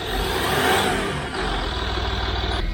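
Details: 2006 Land Rover Discovery 3 2.7L TDV6 diesel after a full engine rebuild and a no-start fault; on the second startup no injector fault came up and it settles into a steady, even run with a low throb, no misfire or knock.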